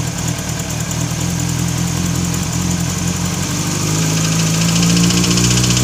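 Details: Kawasaki ZX-6R engine running with a steady ticking knock around four per second over the idle, firming as revs climb; owner suspects a bent valve, unconfirmed.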